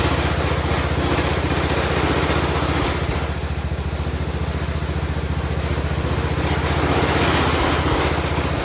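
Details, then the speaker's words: Cub Cadet 1200 mud mower, 12 hp Kohler, just revived after years in the weeds by cleaning the points, no smoke: fast loose rattling beat over a single-cylinder idle set too high, motor sounding like it's trying to fall out. Engine rattle and high idle. "The motor sounds like it's trying to fall out of it, and the idle's not set low enough, but we're gonna go for a little ride. Listen to that thing rattle, jeez Louise."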